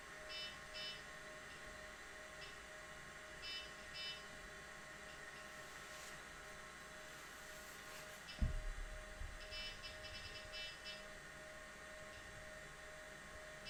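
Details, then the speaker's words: IBM 0665 full-height 5.25-inch MFM hard disk, owned from new since the 1980s, running during computer boot; quiet steady whir with faint constant tone, no scraping or ticking, a few beeps and a bump nearby; spinning smoothly, normal. "i hope you can hear the fact that it is spinning like a little kitten so it's spinning very smoothly"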